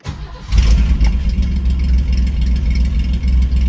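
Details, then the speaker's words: Crash-repaired Ford Granada with a rebuilt, adjusted carburetor, started cold: short crank, instant catch, then a steady deep idle, a bit choppy from the exhaust exiting down low (three cylinders per side); a healthy cold start. "It fires right up. Well-adjusted carburetor. Well-adjusted ignition system. And you can hear it now, it's a bit choppy with that exhaust exiting down there."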